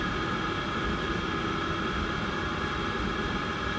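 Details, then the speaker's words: Candy tumble dryer, after clearing error E22 and cleaning fluff, running a 2-hour program with a wet towel, near the last minute: steady, even airflow rush and drum hum, no knocks or scraping; running normally. "It seems to be working fine, and it's at the last minute now."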